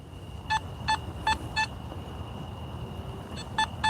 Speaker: Oh, 77. Okay, that that could be a good signal, okay? Meaning, I'm suspecting that could be a dime. Nice, crisp sound.